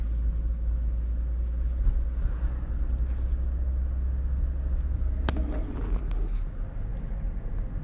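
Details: Faint high squeak or chirp that repeats with wheel rotation over road rumble and stops when braking; worn brake pads, and replacing the pads fixed it.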